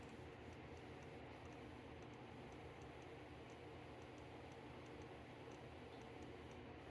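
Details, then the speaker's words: Macintosh Plus at power-on after restoration, RAM test on screen: faint sharp ticks about three a second over steady hiss from the speaker, then it reboots and works; cause not yet found. "can hear clicking in the speaker. See if it reboots. Yeah. It's rebooting. So it is working."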